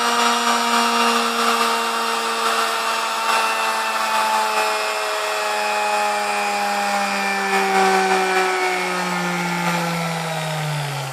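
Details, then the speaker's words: Vintage Sunbeam Mixmaster Model 12, lightly used, after service and maintenance (ran a little noisy before): smooth steady motor hum easing slightly down in pitch, no grinding, rattle or bearing noise; runs smooth. "Hey so she runs nice and smooth now and I mean this thing is nice"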